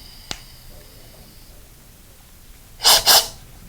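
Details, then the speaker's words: Scuba second-stage regulator on a tank with first stage, working fine: quiet room, one small click, then two short airy breaths with no free-flow hiss. "this is working fine. No hiss. Let's go diving."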